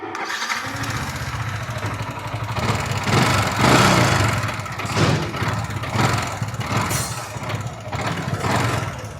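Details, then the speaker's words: Yamaha R15 V4 (BS6); fires up and idles with an uneven rattling knock, roughly three a second, present from a normal start and growing louder as the engine heats up, for about a month; the cause is unclear. "अभी मैं normal start करोगे ना थोड़ी आवाज आ रही है कड़ कर कड़ कर करके उसके बाद जैसे-जैसे हीट हो रही है ना गाड़ी उसके बाद आवाज वो बढ़ती चली जा रही है।"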